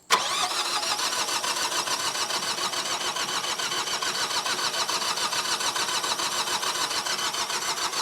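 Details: Generac diesel light-plant generator bought at auction: starter churns it over at about two beats a second for eight seconds without catching after fuel bleeding; cranks but won't start, owner suspects airlock in fuel.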